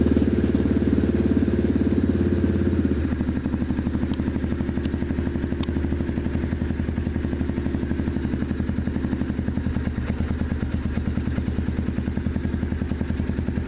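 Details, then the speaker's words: 2015 Yamaha TTR 230 after full exhaust, 14T sprocket, airbox and carb rejet (#130 main, #38 pilot): fast steady idle on choke, only about 20 to 30 seconds versus stock, then a slower even beat; healthy cold start. "choke is all the way off now from the factory this bike requires uh you know you have to have the choke on for like 10 minutes or something this now choke was on for what 20 seconds 30 seconds"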